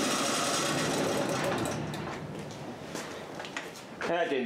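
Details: Harbor Freight 3000 W portable generator burning off its gasoline, with the fuel valve off, before a propane conversion: the small engine runs at a steady even pace, then fades as the fuel runs out; normal running.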